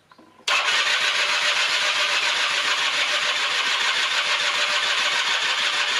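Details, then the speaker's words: 1996 Rexy 50 two-stroke scooter barn find, correct NGK B8S plug, starting spray used: a few seconds of fast, raspy, uneven firing that never settles to idle; it only catches briefly (managed three times), so the carburetor is removed next. "gut also er ruckt kurz an hab das dreimal geschafft dass er kurz anruckt"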